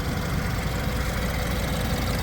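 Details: 2016 BMW 228i M Sport xDrive, 48,229 miles, 2.0L turbocharged four-cylinder with ZF 8-speed, heard in the engine bay at idle; steady, even smooth low hum, no knocks or ticks; healthy normal idle.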